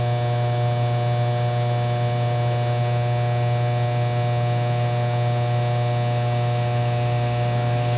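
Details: Kevler KR-310A powered speaker: loud, constant low hum with a buzzy edge that doesn't change over time; the amplifier hums, cause not yet found.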